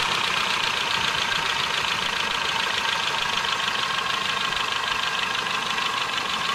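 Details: 1984 Nissan N12 1.5GL petrol, carburetor fixed up, vacuum advance hose and spark plugs replaced: light fast steady ticking clatter over the idle; owner says the valves definitely need adjustment.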